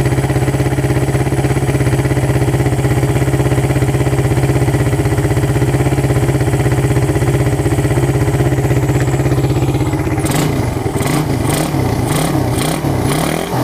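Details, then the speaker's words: Suzuki Satria FU with a PWL/PE28 28 mm carburettor, just cleaned and re-jetted (main and pilot jets changed) to cure hesitation when throttled; starts on first press, even steady idle with regular firing, no misses; normal idle. "Oke sekarang kita Nyalakan ya Oke ini hidupnya enak ya Sekali starter langsung hidup"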